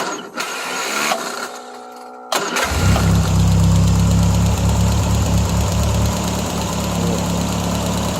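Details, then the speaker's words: 1975 Triumph Spitfire after smog removal, freed-up distributor and corrected backwards-wired ballast resistor: brief crank catches at once, settles into deep steady idle, "fires right up and purrs like a kitten"; timing still off, carburetor awaiting rebuild. Normal start and idle. "plenty of spark nice hot spark she fires right up and purs like a kitten"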